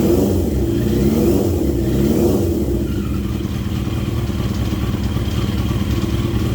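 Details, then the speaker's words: 40-year-old Yamaha XJ650 four-cylinder motorcycle, freshly filled with oil, first ride in years; revs up then settles into an even mid-pitched burble, no knocking, runs well. "But the engine is running really well, like it pulls nicely through first gear."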